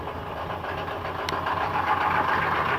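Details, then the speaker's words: 1995 GMC 6.5L turbo diesel with a new used PMD, just fired after glow plugs on a cold start following a long sit: a couple of cylinders cold at first, then steady clatter settling to an even idle, no misses or heavy knock; clean normal cold start. "fired up oh yeah look at this look at that chooch on that one yeah a couple cylinders there a little cold steel"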